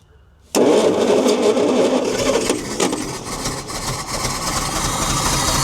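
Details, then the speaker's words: 1972 Bedford J series truck (possibly J3), long-sitting petrol engine, after correcting distributor timing: catches then runs lumpy and uneven with irregular chuffing, running on only a couple of cylinders; suspects no compression on some, possibly a leaking vacuum booster diaphragm. "Well, she not sounding too promising. sounding promising at all. Then when it fires, it doesn't sound real good."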